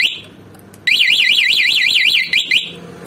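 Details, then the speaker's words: Motorcycle remote anti-theft alarm just installed, battery connected, first test: high warbling siren sweeps up and down rapidly for about two seconds over a quiet background; alarm working. "Seperti ini, saya coba alarmnya. Yang ini. Oke, dia udah berfungsi."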